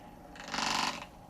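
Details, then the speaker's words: Xin Tester magnetic stirrer mixing resin in a cup with a beveled bottom: half-second burst of fast gritty rattling over the hum as the stir bar wanders off centre and chatters. "as you can see right there it's getting a little unbalanced so we need to crank this down a little bit"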